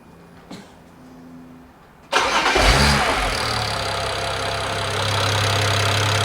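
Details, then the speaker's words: BMW E92 335i after engine swap with all 24 valves lapped to fix cylinder 4 exhaust valve low compression, first start: quick crank, catches at once into smooth, even idle, no squeal or misfire; no check engine light. "the engine didn't squeal sounds like it's got compression it starts pretty quickly"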